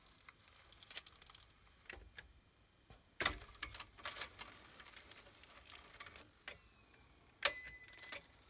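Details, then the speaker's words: Cassette deck (VR2022) playback with a suspect pinch roller: irregular light clicks and ticks from the tape path instead of a smooth run. The tape has become twisted and is not seating on the pinch roller, so it needs a full rewind and re-spooling. "that doesn't sound right let's just eject this again ah i see what's happened this has become twisted somewhere along the lines"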